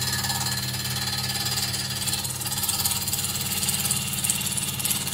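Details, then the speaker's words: Wood lathe spinning a wood blank at about 1000 RPM while cutting it round: steady hum and hissing cut with unexpected rapid clicking, a cue to stop and inspect the blank. "if you're turning and suddenly you hear clicking when you're not expecting to hear clicking always inspect your blank because we listen when we're turning"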